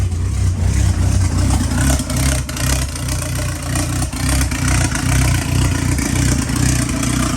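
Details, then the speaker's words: Fully built ACR engine restarted after its first start, idling to warm up: deep, steady rumble with an even beat and no ticking, knocking or whine; good oil pressure, a healthy warm-up idle. "So we're gonna start it up again, let it get warm, let it idle. Got good oil pressure."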